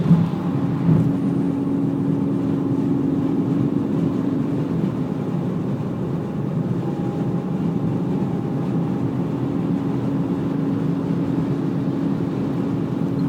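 Engine running with a thin, steady whine sitting over the motor and coming and going a little; a whine with no clear source.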